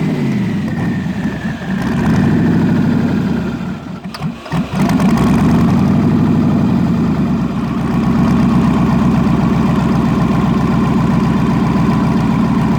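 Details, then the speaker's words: Turbo V8 with forged internals, 552-lift cam, 80 lb injectors and 102 mm throttle body, after hard bog running: rough, uneven idle with an irregular skip after a stumble and catch; misfire, owner suspects a broken piston. "oh let's get it home sounds like we broke a [ __ ] piston"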